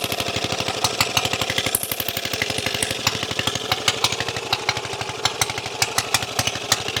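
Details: Briggs and Stratton Model FH single-cylinder engine after repairing a broken carburetor throttle shaft, on its wooden skid: crisp, rapid firing pops at a steady beat with no misses or stumbles; running fine.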